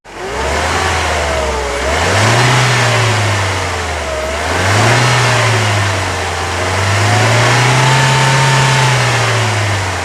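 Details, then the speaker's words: Mercedes SLK R170 200 Kompressor with check-engine light still on after an air mass meter swap, revved: rising and falling exhaust note with no compressor whine, unlike an SLK 230. Owner suspects the supercharger isn't turning, possibly the pulley. "sur le SLK 230 on l'entend très bien et sur celle-ci bah j'ai l'impression que il y a pas vraiment de bruit de compresseur"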